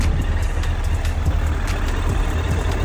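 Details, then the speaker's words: 2008 Suzuki GSF1200S Bandit carbureted four, nearly warm, idling just above 1,000 rpm (below 1,500): steady, even low idle, no misses or stumbles; normal warm idle. "он прогретый уже практически Ну немножко прогрелся он вот работает ровно на"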